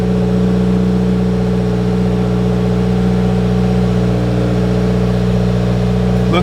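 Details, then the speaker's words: 2020 Subaru WRX running after AEM 340 lph fuel pump install (Deatschwerks kit, flex-fuel prep): smooth, even idle with a steady low drone, no misses or odd noises; pump heard priming, no leaks, engine runs properly. "we're working just fine no leaks I can definitely hear that bad boy come on"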